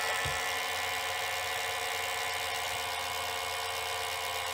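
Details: Johnson OK-33 AC-powered Beta cassette rewinder rewinding an older Sony tape: steady high whirring hum at even pitch, smooth and healthy with no catches or grinding.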